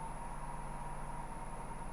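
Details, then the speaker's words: Wood lathe turning a roughly 7 in highly figured dry English walnut bowl blank at about 1,050 rpm: smooth even low hum with steady mid tone, no wobble or thumping; spinning cleanly without vibration. "Thousand,50 RPM, no vibration. Plenty fast is what we're going to try to do here."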